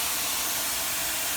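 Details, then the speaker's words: Mini Cooper Clubman AC recharge after repairing a refrigerant line worn through by the axle: steady loud high hiss with no low rumble as refrigerant rushes into a system with practically no pressure. "there's practically no pressure so we're gonna start filling it up"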